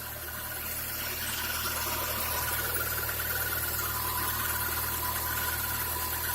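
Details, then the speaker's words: Chevrolet Niva engine idling: steady hissing rustle with a faint high squeal on top from the front; water pump or tensioner rollers suspected, source not yet pinned down. "наличие посторонних звуков и шелеста не всегда сразу видно и слышно"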